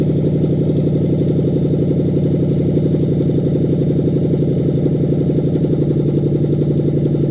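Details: Smooth, even low burble at a steady idle with no misses, knocks or hunting on a Lexus 3UZ-FE V8 in a 2013 Scion FR-S swap, new standalone manual-configuration harness test run after fuel was added; V8 running cleanly.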